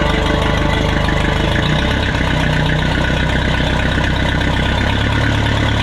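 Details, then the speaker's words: Minneapolis Moline 335 tractor, restored, after advancing the ignition timing slightly: steady, even four-cylinder chug at a fast idle with no stumbles or misses. It runs smoothly and sounds healthy. "There, sounds much better after advancing the timing a little bit. Much better."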